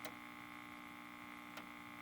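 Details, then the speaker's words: Kerenola Trav-Ler AM tube radio, scope on output tube plate feeding the output transformer: steady constant-pitch buzzing hum, sawtooth-like waveform with a dip on each cycle. "you hum um it looks almost like a sawtooth kind of weird huh and it's got a dip on each one"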